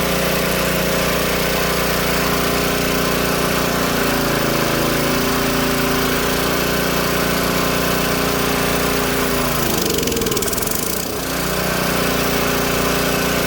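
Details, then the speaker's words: Old Tecumseh-powered generator revived after years outdoors in rain and snow; steady even single-cylinder drone with one brief dip near the end; only needs a little carb tuning once warm; outputs 115 V; normal running. "Let's get the garage door open. She was running good there for a minute."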